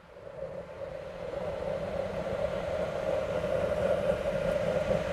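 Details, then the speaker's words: Homemade waste oil heater burner on kerosene as the new 12 V computer fan is switched on, quieter than the old fan and rated for continuous running: sound swells as the fan comes up, then an even hum and roar; normal operation. "i believe that'll work and it's much quieter than that other fan and it's made to run all the time"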